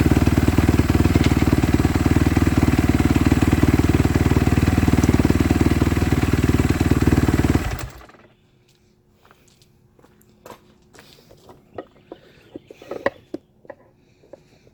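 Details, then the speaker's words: Kawasaki KX250F (stated as 2014 and 2017) after clutch replacement for fried clutches that stopped it moving in gear: steady, even single-cylinder beat with regular firing for about eight seconds before shutdown; sounds healthy, fixed. "Well, that fixed it, guys. Quick and easy, and now we're good to go."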